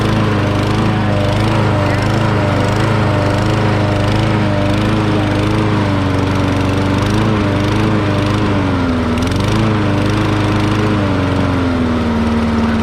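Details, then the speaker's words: Murray 20-inch self-propelled mower with 6 hp Briggs & Stratton engine, throttle working after a gummed-up carburettor throttle linkage was freed, running for the first time: runs steadily with a slight surging rise and fall in speed. "You heard it was kind of surged a little bit, but this is the first time this thing's ever run."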